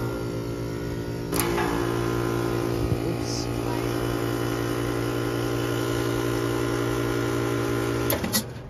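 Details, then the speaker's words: HVAC outdoor condenser unit with steady electrical hum and constant whirring drone; bad condenser fan motor suspected, not confirmed. "bad fan motor"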